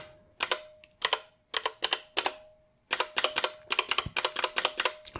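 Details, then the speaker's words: Royal Kludge RK68 65% wireless hot-swap mechanical keyboard, unlubed: sharp keystroke clacks with a lingering metallic ping, worst on middle keys like F, from vibration of metal components; dampened on a surface. "so uh you might have noticed you might have heard a little bit of pinging let's listen again oh yeah those are very pingy in the middle"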